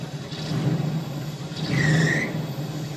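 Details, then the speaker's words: 1976 Dodge Cruise Air RV, gas bumped: engine rumble with a sharp high squeal rising with revs and fading as they drop. Owner suspects a slipping drive belt. "what is that sounds to me like a belt wheil obviously obviously obviously we made it A4 Mile and we've got a belt that is just toering"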